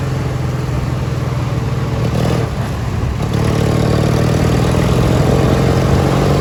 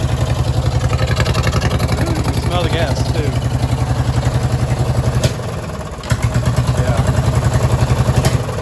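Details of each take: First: Li'l Red with Peerless 820 transaxle, during a top-speed run after new spark plugs: the twin runs strong and even at full throttle with a steady drone, no stumbling or misfire. It runs great now, with no gasoline smell from the exhaust. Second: Li'l Red twin-cylinder tractor before repair: low, lumpy idle with an uneven chuffing beat that dips and recovers, running on only one cylinder; misfire caused by a spark plug with cracked, split ceramic.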